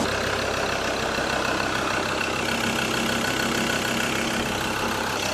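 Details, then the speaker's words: Mazda BT-50 diesel ute with no service history, just after full oil and filter service: settles into even, steady idle with no knock, miss or rattle; running smooth. "She's running smooth. Good job."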